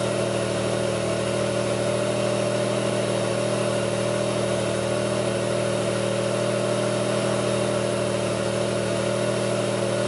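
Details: 2002 Pontiac Grand Prix 3800 idling: a low drone with uneven pulsing about two to three times a second, a rough idle with bogging and no check-engine light. The alternator overheats, and a faint intermittent thumping pulls the idle down; the cause is not confirmed.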